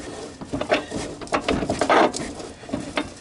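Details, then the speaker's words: Water-damaged 1997 Honda Fourtrax 300 4x4 ATV, rear differential turned by hand: uneven gritty crunching and scraping from worn, debris-chewed internals, intermittently locking; brakes ruled out as dragging. "it kind of crop crunches a bit i think i think you guys could hear that"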